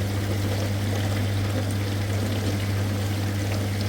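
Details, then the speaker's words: Very old General Electric dishwasher after its non-working wash motor was fixed by replacing the relay contactor. A strong, even rush of high-pressure water to both spray arms over a steady motor hum, with no grinding or surging; normal wash spray. "Now this one you can see with the high pressure water going to the up louver. This one 2 louvers are there, washing louvers, up louver and down louver. The both working well."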